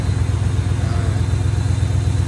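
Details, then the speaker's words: 1997 Dodge Ram V8 after a tune-up with new spark plugs gapped to .035 in. A smooth, even low idle rumble with no misses; it runs much better than with the old plugs. "The thing is running a lot better than these plugs that were in it."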